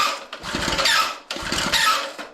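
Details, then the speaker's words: Homelite water pump, unrun about a year, choke set: two rope pulls that rasp and squeal from recoil starter one-way bearing binding, which can lock up the engine. "now i can already hear it the one-way bearing season did you hear that"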